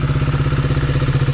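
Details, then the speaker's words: KTM Duke 250 single after engine rebuild and reassembly: crisp, even idle thump with no ticking or rattle; engine now completely silent and in fine condition. "एकदम silent हो गई है। अब कोई आवाज नहीं है। बिल्कुल फाइन कंडीशन।"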